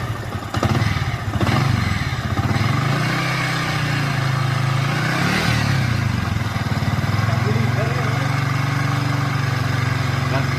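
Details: Yamaha Vixion single-cylinder engine: a steady low rumble with a coarse, uneven edge at idle and on blips; it runs rough, and the balancer bearing was then replaced.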